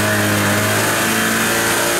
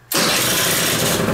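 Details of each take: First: Kymco Vitality 50 2T scooter on a lift, weak pulling: two-stroke revs steadily, then sags and loses pitch with the brake held; the centrifugal clutch engages too early. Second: Kymco Vitality 50 2T scooter after adjusting the drive, whose centrifugal clutch springs were soft, engine still cold: catches first try and settles into a steady buzzing run; now holds revs against the brake.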